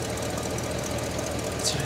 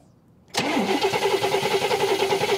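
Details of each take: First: 1969 Cadillac Eldorado, 21,000 original miles, revived after about 20 years in storage: steady, even idle hum with no misses or loose tapping; charging at 13.2–13.3 V, no fuel or water leaks; engine running normally. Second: 1969 Cadillac Eldorado with 21,000 original miles, sat about 20 years: even cranking at about three beats a second with the factory mechanical fuel pump, never catching; no fuel delivery, so an electric fuel pump will be fitted while the battery lasts.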